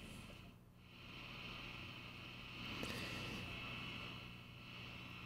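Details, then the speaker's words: 1947 radio receiver, largely unrestored, first powered at direct line voltage without an antenna connected: steady hiss with a thin high whistle and no station audio; picking up local electrical interference noise. "okay so what i'm gonna do here is this is probably just picking up noise the way this is here because there's some noise in here so i'll just cut that off"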